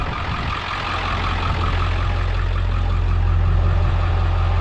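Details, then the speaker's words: Deep, even diesel rumble at idle with steady low drone, no rattle or chuffing, from a Ford F-550 4x4 7.3 diesel with 6-speed manual, in neutral; sounds like a healthy 7.3, little blowby steam at oil cap. "it sounds like a healthy 73"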